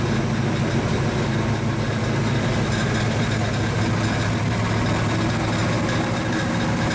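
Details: 1935 Chevy Master, new 409 stroker V8 at first start-up and break-in, running in the differential on jack stands: deep, steady idle with an even cam lope, no knocks or misses; oil pressure and temperature good, so the idle is normal.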